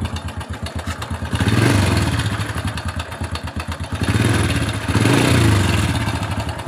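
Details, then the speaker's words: 2007 Honda Supra Fit New with a rough-sounding cylinder head: fast, uneven clatter from the top end over a lumpy idle, about three ticks a second; cam chain found very slack, chain rollers checked. "Ya, biasanya rantai ketengnya yang bunyi."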